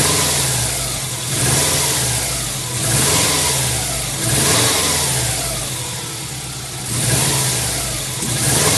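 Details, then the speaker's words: 1999 Subaru WRX GF8, EJ205 turbo flat-four, warm after a coolant flush, header tank open: smooth idle with several even throttle blips rising and dropping cleanly, no misses or knocks, done to bring bubbles up; normal throttle response when warm. "So I'm just going to give it a few blips on the throttle, and that also helps bring the bubbles to the top."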